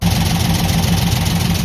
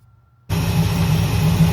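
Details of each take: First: 1968 Chevelle V8 idling unevenly with a loping skip, shaking, and light valvetrain rattle over low exhaust rumble; rocker arms thought backed off, a broken pushrod was found. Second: 1968 Chevelle V8 after a broken pushrod repair and engine flush: a steady, even idle with a smooth low burble and no valvetrain ticking or knocking. Finding: normal, quiet idle.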